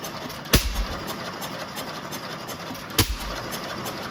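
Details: Restored Waterloo Boy 5 HP engine running for the first time after reassembly with a new head gasket: single sharp firing bangs about 2.5 seconds apart with soft ticking while coasting, a healthy hit-and-miss idle.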